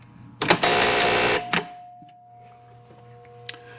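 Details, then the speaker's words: Williams Ringer game landing a ringer: extra shot and engage relays clack, then a sharp loud buzz under a second, then quiet hum; buzzer works properly. "so you notice that we have our extra shot and our engage relays move with that and then that also activates our buzzer here so we can get a shot of the buzzer in action as well"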